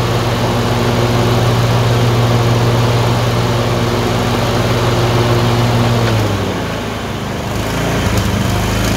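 Uneven twin-cylinder drone that sags and recovers after about six seconds, with a ragged beat; the engine is surging and missing.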